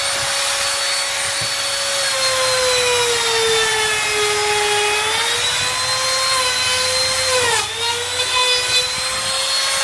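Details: Grizzly T27139 quarter-inch trim router, about 4 months old and previously cutting out, with a brand new bit at full speed in scrap hardwood: high steady whine dips in pitch as the bit bites and recovers evenly; normal cutting.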